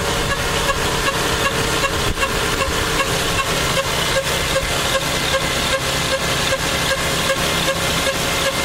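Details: Lexus engine at steady idle with a regular light tick, about two and a half per second; owner asks what the strange engine sound is, and the source is unidentified.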